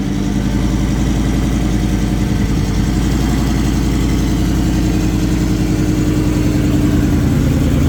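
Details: Ford F-150 single turbo idling: rapid uneven puffing tick in exhaust note from an exhaust leak at the flex section of the On3 crossover pipe.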